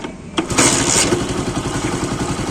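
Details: Deluxe single-cylinder bike, after fixing piston noise with half-engine opened, block and head gasket refitted: kick start, then even, steady putter with no slap or knock; clean, healthy idle after repair.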